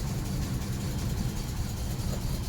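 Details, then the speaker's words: 1954 Pontiac Star Chief at idle: low, uneven idle with irregular stumbles and lumpy firing that clears up a bit; rough running. "all right what's going on with it it's not very happy is it cleared itself a bit"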